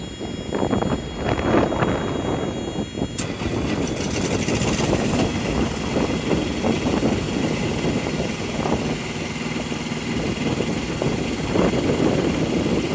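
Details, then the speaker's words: 2020 Freightliner Cascadia (DD15) Thermo King APU diesel that wouldn't start with a check-engine code; after topping up low coolant the light clears and it catches, settling into a steady, even clatter with no misses or knocks; running normally. "the check engine light is gone there we go by adding coolant our thermo king is working again"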